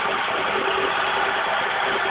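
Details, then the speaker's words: 1991 Vauxhall Astra Mk2 1.4L starting cold on choke, revs not yet up: a smooth, even idle with no knocks or rattles. It starts first time, with fresh oil, filter and spark plugs. A normal healthy engine. "Obviously, because she's cold, she's not come up on the revs on the choke just yet. There's the engine. Absolutely perfect engine. You know, starts first time, no knocks, no rattles. Bang on."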